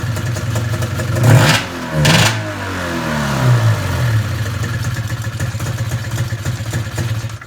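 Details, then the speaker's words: Arctic Cat ZR 440 snowmobile, first start after rebuild, running straight gas; idle still too low, slow lumpy uneven idle barely holding after throttle blips; carb screws already turned far in, owner unsure why. "Still idling too low. Man, those screws are getting pretty far in on the carb."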